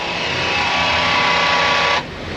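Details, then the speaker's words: 2018 Jeep, 10,082 miles, power running board motor: harsh, even grinding whir for two seconds then cuts off; gears stripped inside the motor, to be replaced. "So the gears are stripped in the motor, so we're going to put a motor in, make sure the running board moves freely."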